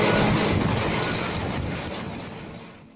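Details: Volvo FM 370 truck, Volvo D11 diesel, long parked with a crank-no-start from air in the fuel system: after bleeding and tightening the overflow valve to about 50 Nm, the engine catches and runs with a rough, heavy rumble that gradually fades.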